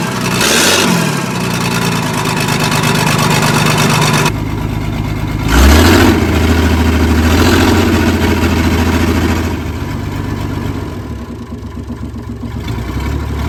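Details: Old diesel loading shovel abandoned 18 years, started on ether: it runs rough and uneven with a dull off-beat puff because a valve is held slightly open and not seating (not hitting the piston), causing a misfire; coolant also leaking.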